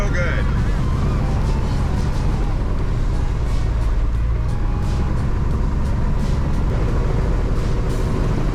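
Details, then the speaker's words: 1962 Piper Comanche 250 after years stored, running just after a weak-mag idle check: loud steady deep drone, even note, no misses or knocks; prop cycles right away and everything works before shutdown. "good props good prop works good everything seems to be working well I'm going to shut her down"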